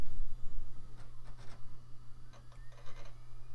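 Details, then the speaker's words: CD-ROM drive in an early-2000s Micro-ATX PC, slow to take the disc: steady hum, scattered clicks, whirring bursts and a rising spin-up whine; odd but not bad sounds, reading normally. "Sounds like it's doing it. Yep, sure is. And it's making some interesting sounds too, though not altogether bad sounds."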